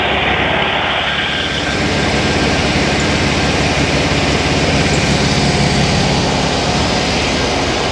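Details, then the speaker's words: Stock VW 1600cc N.O.S. Mexican Beetle engine with hydraulic lifters and a newly installed supercharger, on a stand at first fire-up during a 10-minute cam break-in: loud, steady, even churn with no knocks or misses; healthy. "So we have it running on a 10-minute break-in right now."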